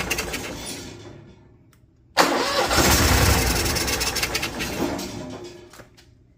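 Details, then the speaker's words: Cummins Onan Marquis Gold 5500-watt RV generator, sitting about 20 years, on a nearly dead jump pack: quick crank catches, runs rough a few seconds, then fades and dies; blinking code owner believes is low voltage. "Look at that thing purr like a kitten. Oh, it sucks. So it's blinking a code for us. I believe that's a low voltage code."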